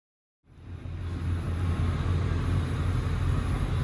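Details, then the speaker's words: Doug Rippie Motorsports LT1 383 stroker on an engine dyno under full load during a pull, tuned slightly rich up top, peak power about 502 hp near 5700 rpm: a deep, smooth, even rumble with no knocks or misses. A healthy engine that sounds like a nice street motor. "it actually doesn't sound bad at I know it sounds really good I think if it continues to make that type of power and sounds like that it'll be a really super nice Street motor"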